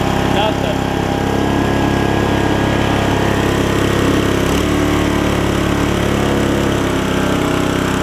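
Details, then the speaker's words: Older Murray riding mower, engine refitted after a drive belt replacement: it races high and fast, then drops pitch and bogs once the blades are engaged. Owner suspects the governor despite adjusting it, or an internal engine failure. "Here it's running really fast, but then when you turn it off, or when you turn the blades on, it starts bogging down. So it's got something going on with the governor here."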